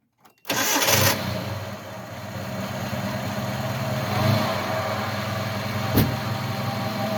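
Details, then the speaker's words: Truck belt drive (power steering pump, idler pulley, alternator), starting to idle: steady low growl from belt end, narrowed to alternator or idler. "So I don't know how well you can hear it in the video, but it does sound like there's a growling noise. And when it's belts and pulleys, a lot of times it's really hard to figure out exactly what it is."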